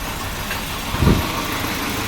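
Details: Volvo 740 on a cold start with wet spark plugs: uneven idle beat with a clear stumble briefly dipping the engine, misfiring; always idles rough when cold, dies if very cold, then restarts fine.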